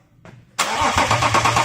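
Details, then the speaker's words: BMW X6 cold start after engine rattle repair with new hydraulic lifters and all timing chains replaced (main chain was stretched); short crank, quick catch, even smooth idle with no ticking or chain rattle. "we finally put everything back together and the rattle noise and that noise the original noise was from the father for this engine it's all sorted out but we're going to start up a steel coal to show you alright"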